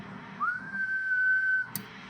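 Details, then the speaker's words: Heathkit Marauder HX-10 transmitter with one 6146 final tube, supply raised to about 123 V, heard on National NC303 receiver: clean whistle rising and holding steady without breakup or hum; SSB transmission normal. "yep seems like it works [Music] 1 2 3 SSB test yeah it seems good"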